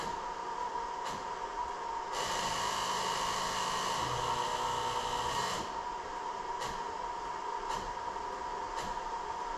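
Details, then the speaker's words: 2000 Jeep Cherokee 4.0L, key on engine off: thin steady buzz from ASD relay in underhood fuse box cutting in and out as the fuse is touched; possibly a hairline-cracked ASD circuit fuse intermittently connecting, causing relay chatter and hard start/stall. "Well, sometimes these fuses can be blown in just hairline cracks, and touching them can cause them to connect."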